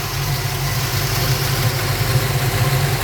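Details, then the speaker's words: Ford Falcon with small-block Ford 302 V8 at idle after quarter-turn carburettor mixture screw adjustments: smooth, even low rumble with steady beat and no stumbles or hunting, vacuum about 8 and much more stable. "there we go so it's at 5 6 78 it's pretty happy around the eight much more stable"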